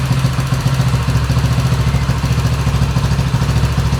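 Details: Italjet Griffon GF125, sat unused 10 months with fuel residue clogging the carburetor and no start; after carburetor removal, cleaning and reassembly, the small single fires and settles into a steady, even putter, no misses or rattles; normal running.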